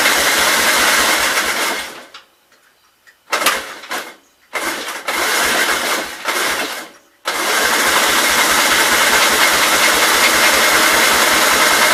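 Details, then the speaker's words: 1944 L tractor, unchecked after acquisition, choke on, fuel opened: steady quick cranking beat about three and a half per second, stopping and restarting without catching; cranks but won't start, suspected no fuel reaching the carb bowl. "I would say we got no fuel. Like I said, I didn't check anything. It may not even be getting fuel down to the bowl."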